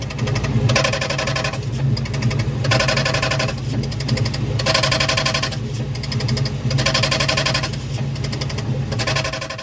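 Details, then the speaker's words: 2004 Mustang Mach 1, about 500 miles after new clutch, throwout bearing and pivot ball stud: engine rumble with harsh metallic scraping bursts about every two seconds, sparks seen, clutch fork rubbing the pressure plate. "we couldn't figure out why it was having some kind of metal contact in there so I took a video and I could see sparks"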